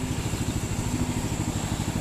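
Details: Rebuilt 6.5HP Predator Honda-clone single, previously water-seized and missing its air filter, on a Baja Warrior minibike: steady even thumping about eight beats a second without misses; normal healthy idle, no smoke.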